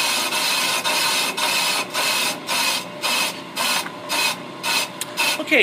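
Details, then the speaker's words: Ammco brake lathe machining a brake drum, about a quarter inch left to go: light rhythmic scraping hiss pulsing about twice a second as the bit skims the drum; finish cut running evenly, chatter strap fitted. "tell by the sound NE brake drum is pretty much done so I'm going to go ahead and disengage my cutter head turn that lever off we'll power down the machine"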